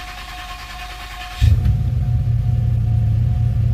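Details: 2007 Pontiac GXP after head bolt thread repair (owner suspected blown head gasket or unsealed head after coolant loss): electrical hum, then fires and settles to strong even low idle rumble, no knocks or misses.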